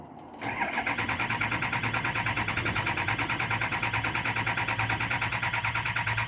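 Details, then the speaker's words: 2003 6.0 diesel truck, cold start, fuel pressure gauge fitted: steady rhythmic starter cranking about three beats a second without catching, only about 300 psi building; hard start, cause not confirmed, no visible leak. "Yep. See, it's only building. Jeez, you're building struggling to build 300 PSI there. Frustrating."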